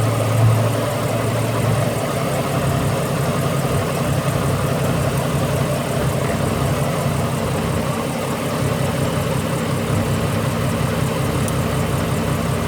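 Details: Ford BA Falcon inline-six idling before coil replacement: uneven, lumpy idle with occasional stumbles, a misfire from failing ignition coils; the front three are old factory coils, while the back three were already swapped.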